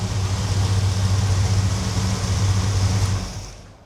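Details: 1972 Chevelle big-block V8 after mini torque starter swap, idling with a deep steady even-loping burble, no misses or tapping, fading out at the end; healthy idle.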